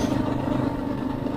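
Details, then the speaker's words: MotoZ Tractionator Adventure knobby motorcycle tires after over 9,000 miles, riding at road speed with the mic's wind reduction on. A steady, coarse, grainy hum over the engine is the tread singing on pavement. The tires are noisy. "that sound the tires"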